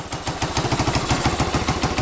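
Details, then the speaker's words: 1985 Yamaha 225DR single-cylinder with a replacement mixture screw: rough, popping, uneven running with a hissing intake suck; carb drawing air because it is not fully seated. "i can hear the carbs sucking in some air because this isn't on there all the way right now"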